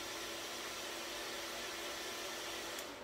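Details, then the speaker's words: Small fan on the digital output of a Siemens S7-1200 PLC, switched on for five seconds by a counter/timer: a steady, even airy whir with a faint constant hum and no rattle, then it turns off. Normal running. "and it turns off"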